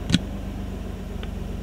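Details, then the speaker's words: Nissan Altima SE-R after its intake manifold leak was fixed: steady, even idle at about 900 rpm with no misses or hunting; normal idle. "That's my 900 idle. That's where we should be at."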